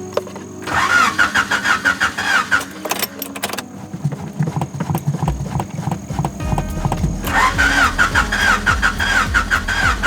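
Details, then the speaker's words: 3rd-gen Honda Prelude that has been sitting, in hot weather: starter turns slowly and unevenly, about three strokes a second, and never catches. Battery seems nearly dead; owner also suspects the motor may be out of oil. Slow cranking, no start. "the battery sounds like it's done i don't know how much juice is left in this thing"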